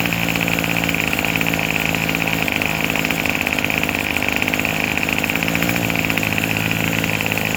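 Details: Craftsman 27cc two-stroke string trimmer, made January 2013 and obtained free: it holds an even, steady buzzy rasp with no stumbling or surging; normal running, it sounds pretty good, though it is smoking.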